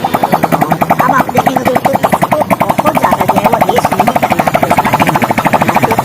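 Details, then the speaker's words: Hero Passion Pro motorcycle, first start after full engine rebuild and refit: quick, even popping beat from the small single at low idle, steady with no knocks or rattles; normal idle. "अभी हमने on कर दिया आप देख सकते हैं इसस तरीके से दोस्तों हल्की सी जो है वो कित में स्टार्ट ले रही है"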